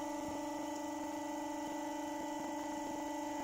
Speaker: but listen that just that sounds as sweet as enough that's really quiet